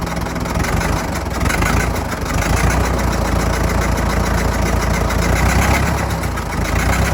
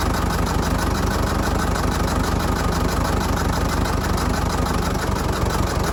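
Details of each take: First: Fordson Major diesel tractor, sat 20 years, recently revived, temperature gauge not yet reading, oil pressure steady: chunky diesel clatter ticking over at a steady slow beat with no knocks or hunting; normal idle. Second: Fordson Major diesel tractor, sat 20 years, recently revived, air intake off, just restarted with water in radiator: loud lumpy idle a bit over once a second, uneven; owner suspects a dead cylinder or just intake noise, unconfirmed.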